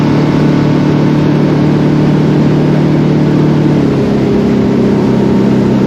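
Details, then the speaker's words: Center console boat outboard, unused a long time, running on plane with old gas at unchanged throttle: steady drone suddenly drops in pitch as power fades; stale fuel, cured by running it out and refilling with fresh gas. "so this is a video of uh the first day and you can hear the motor uh having plenty of power and then the power drops down and I'm not changing the throttle at all"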